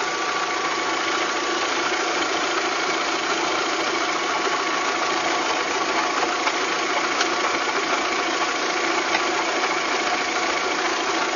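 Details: VW Golf 3 engine at steady idle with a dry, irregular metallic tapping mostly in the upper range. It is an abnormal engine knock at idle, in a clip tied to fitting cylinder-head parts.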